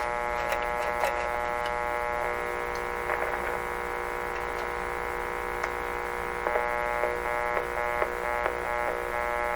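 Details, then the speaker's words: 1925 Magnavox Type D TRF radio, after reseating the loose detector tube and checking the grid leak resistor: only a steady low mains hum with faint clicks and no station, found to be the antenna disconnected (stepped on and pulled off). "Okay, we're on. She's working. Just Doesn't want to pick up the particular station."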